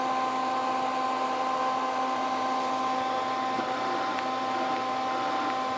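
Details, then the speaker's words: Lincoln 135 Plus MIG welder with an intermittent gas valve: about 4.4–5 V DC reaches the valve when the trigger is pressed, but there is only a hum, no click and no gas hiss. The gas solenoid has failed and may need cleaning or replacement. "not clicking anymore though yeah it's just not working uh that valve is what's bad and that's what I suspected"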